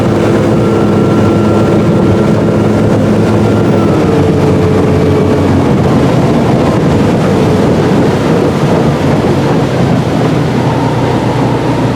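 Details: 2018 Chaparral boat, MerCruiser 4.5L 250hp V6, after replacing a faulty ignition coil: a smooth, sustained high-rev drone with wind rush at speed, above 4,000 rpm, with no stumbles or misfires.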